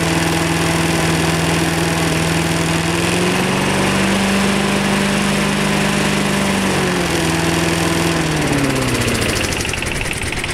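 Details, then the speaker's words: Rover 50 lawn mower with a regularly serviced engine and a badly rusted chassis: small single-cylinder engine holds a smooth, even beat, dipping and recovering cleanly with load, running sweetly; any rattle is the rusty chassis. "so other than that the engine sounds pretty good so we'll start it and let you hear it there you go run pretty"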